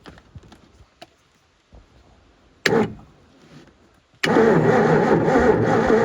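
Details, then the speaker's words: Supra TS6M ski boat that sank and sat about four years, cranked on a jump pack with fuel poured in: sluggish uneven cranking about three turns a second, briefly catching but never firing; weak battery suspected, spark unchecked. "Again sounds like we need a battery and we should probably maybe see if it's even G spark I guess"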